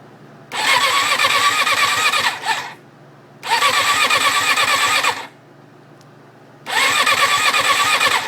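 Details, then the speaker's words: 1994 Suzuki RF600 after full engine rebuild, fuel fed from a reservoir, clutch engaged: three ~2-second bursts of even starter cranking, never firing; has spark and fuel pump works, owner unsure why; cranks but won't start. "i don't know what exactly is going on as far as the sound it goes like uh it sounds like it's not getting gas but it's clearly sucking up gas"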